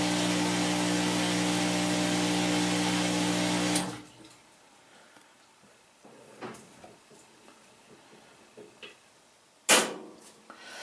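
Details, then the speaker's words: Maytag Neptune MAH5500BWW washer after replacing the motor and motor control board kit: test-cycle spin with the flywheel turning, a steady even drum hum, then a clean end-spin coast-down; the test ended with PA shown, so the spin is normal. "I look back here let's see I can't really probably can't see it but the uh flywheel back there is turning so that's a good sign"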